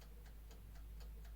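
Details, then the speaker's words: Vevor 6.5 L ultrasonic record cleaner, clockwork dial timer that doesn't seem to turn back to zero; soft, even ticks about four per second over quiet background as timer runs down; normal mechanical timer ticking. "this doesn't feel like it wants to be turned back to zero if you listen carefully"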